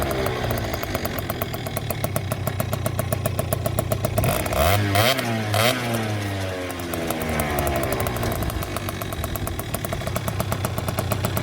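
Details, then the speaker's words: Two-stroke scooter after re-packing the exhaust silencer, recorded against a wall in windy conditions: starts and idles with a steady crackle, blips up cleanly and settles back; the exhaust note is smooth and significantly quieter. "difficult to tell from the video, but that is significantly quieter."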